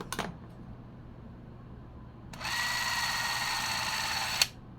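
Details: 8mm vintage movie camera, wound with the key: after a shutter-button click, an even high whirring runs about two seconds and stops cleanly; clockwork drive running normally.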